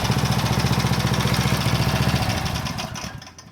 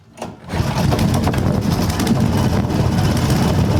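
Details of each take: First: Power Trim edger's small single-cylinder engine, which had been hunting and would not hold speed, now pops along at a steady, even beat with no surging after a new Pulsa Jet carb kit, then winds down; runs smoothly. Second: Power Trim edger with pulsa jet carb, left unused, just started: engine speed bounces up and down and won't hold steady, asking for more gas; governor hunting, dirty carb/diaphragms suspected, planned clean and diaphragm replacement.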